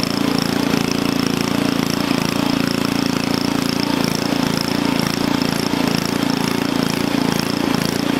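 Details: Onan engine mounted for a log splitter, governor linkage adjusted: a steady, even high-speed drone at about 3,400 rpm with no misses or surging. It holds speed cleanly and sounds healthy, and the stop switch works.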